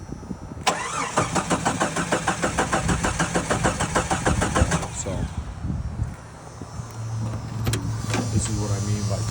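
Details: Jeep 4.2 engine with a Weber carburetor, intended for a CJ7 swap, started out of gear: steady cranking at about three pulses a second for four seconds, then it fires and settles into an even idle; healthy start.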